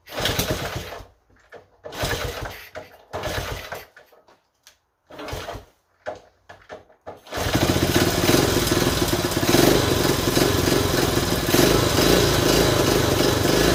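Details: 1970 Honda Trail 90, previously non-running (reportedly overheated), before carb cleaning: a few sputtering catches die out, then it runs loud and uneven with a ragged beat; choke needed feathering, owner suspects clogged pilot jet, debris found in carb screen.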